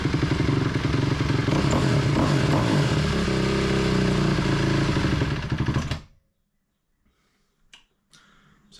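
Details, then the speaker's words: 2004 Honda CRF250R single-cylinder that was hard to start: fast idle barks, slightly hunting for about six seconds, then dies; thought to be running lean, with a plan to pull and go through the FCR carburetor. "like it's running lean I think I think we're going to have to pull this carburetor off and go through it"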